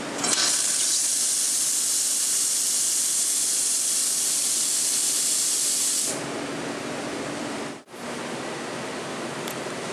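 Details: La Cimbali 220 V espresso machine steam wand opened (one turn counterclockwise): strong, steady high hiss for about six seconds, then a softer, even flow; normal steam wand operation.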